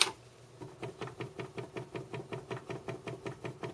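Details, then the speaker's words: RCA Victor 9JY RP-168 45 RPM record changer, first power-up before restoration: steady train of dull clunks about five a second as it turns; mechanical problem suspected in a gear, reject cycle not smooth. "first the switch on the side here will turn on and you'll hear a clunking along"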